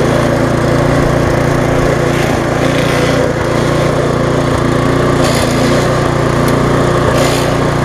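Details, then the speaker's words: Viking (Stihl) mulching mower, Briggs engine with refurbished classic carb, just after repair and smoking from being tipped on its side: steady petrol engine with a light irregular rattle from loose handlebars shaking. "you hear them rattling a little bit that's because it's only because of the handlebars not tight there I can't quite tie in it"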